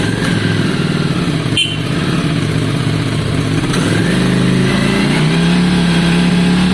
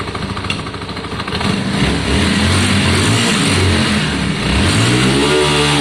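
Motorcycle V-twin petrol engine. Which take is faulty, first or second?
first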